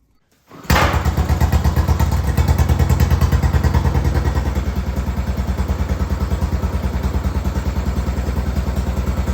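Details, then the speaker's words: Arctic Cat 400 4x4 ATV muffler rebuilt into a homemade straight-through glasspack resonator, tried on a Jeep: fires straight away, settles into steady, even, deep exhaust throb at idle; muffler sounds fine. "that sounds pretty good all right so this Muffler is ready to get painted"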